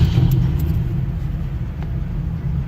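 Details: 1959 Cadillac sedan V8, carbureted, cold start on a very cold morning (about 7 to 13 degrees) after many pedal pumps; deep even low rumble, no misses or knocks, holding steady idle without throttle; normal cold-start idle.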